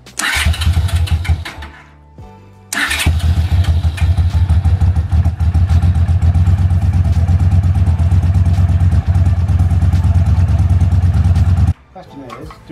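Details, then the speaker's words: Trike's engine run for the first time, with no coolant in yet, just to check it runs. It fires quickly and settles into a strong, steady low beat with no knocks or misses, sounding healthy. "we haven't got any coolant in at the minute because we just want to see if it's gonna run that sound good don't know it sounds pretty healthy didn't take long for it to get going"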